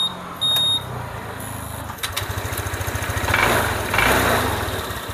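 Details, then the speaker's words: Honda PCX scooter that had suddenly started sounding rough, heard after the timing chain tensioner lifter was cleaned and oiled. It catches and settles into a steady, even idle with a smooth exhaust beat and no timing chain rattle. Idle is now smooth. "ya teman-teman bisa bandingkan ya perbedaannya ya antara yang tadi dengan yang ini sudah langsung halus ya"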